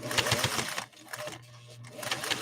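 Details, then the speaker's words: 1958 Singer 404 sewing machine, direct gear-to-gear drive from the motor to the balance wheel, stitching two layers with increased presser foot pressure: quick, even stitching chatter that slows briefly then picks back up, no slipping, a healthy machine. "And listen to this 404 work. Again, it's got a direct drive gear to gear from the top of the motor."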